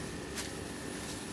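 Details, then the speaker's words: New 4-ton Trane 20 SEER air-conditioner condenser with zoning, running very quietly: a steady low hum with soft fan hiss and no rattles. Normal operation after replacement, line set flushed and pressure tested. "so here is our 20 sear air conditioner and it is a 4ton and it's running right now which direction that fan spins on the camera very quiet as you can"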